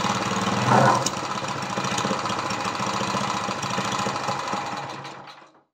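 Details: Briggs & Stratton vertical lawnmower engine converted to horizontal with oil splasher, first run; valves lapped and adjusted, compression only 60 PSI. Uneven stumbling beat, about four firings a second with loose knocking; runs rough, struggling to keep going, cause unconfirmed. Carburetor leaks fuel.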